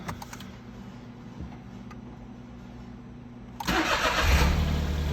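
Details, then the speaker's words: Smart Fortwo, started indoors after replacing the engine coolant temperature sensor and the cylinder 1 coil, with the battery recharged after long sitting: fires promptly and settles into an even, steady idle without misses. "that sounds pretty good"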